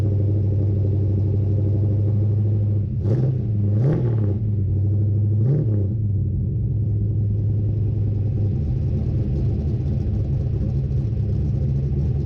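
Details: Craig's Mustang, cold start in the shop: a deep, even rumble with three quick throttle blips that rise and settle cleanly, then a steady idle. The engine runs healthy.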